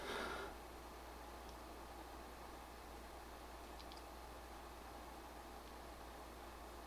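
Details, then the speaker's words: PS5 Pro console under gaming load in Fidelity Pro mode (30 fps target): a soft, steady fan whoosh and even low hum with no rattles or pulsing, about 47–48 dB at the front and 49 dB at the rear fan exhaust; normal cooling fan. "we're between 47 and 48 DB and at the rear of the console it's around 49 DB which is where the fan exhausts here from the rear of the PS5 Pro"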